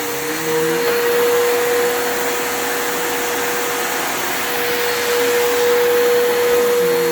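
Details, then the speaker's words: Bissell PowerForce 3537 vacuum running: steady roar with a thin, weak motor whine around 500 Hz, quieter than usual; armature and carbon brushes sound like they're struggling, motor suspected to be going out. "yeah, that motor is struggling. It kind of reminds me of, like, it sounds like it's going out. Like, it's definitely, it's not loud. Like, it's quiet. It's quieter than these usually are, in the sense that I can tell the armature and the carbons are really fucking struggling."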